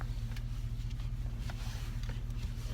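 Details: 2004 Chevrolet Silverado at a standstill after the power steering pump's pressure control valve was replaced to fix weak steering at idle; only a soft, low, even idle rumble with no whine or groan; normal pump.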